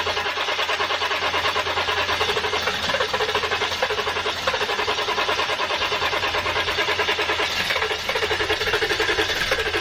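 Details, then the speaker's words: 7.3 diesel van, new starter fitted, after running dry: steady starter churning with uneven weak compression pulses and no catch while air is purged through the fuel filter bowl. Cranking, no start from air-locked fuel lines. "ll that [ __ ] air through the lines and it'll bubble up it'll bubble up through the fuel bowl or whatever you want to call it where the fuel filter is the bubbles will come up through there and then I should push the fuel into the engine should have no problem"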